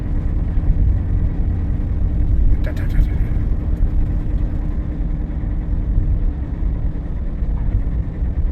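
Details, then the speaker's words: Lexus with 262,000 miles, recorded while driving, that has a shake. A deep, steady droning rumble with a faint hum on top is tire noise, not the shake's cause. The shake is a torn, sloppy driver-side front axle. "That's a tire noise. It's definitely a tire noise, but it's not the tire that's creating this shake."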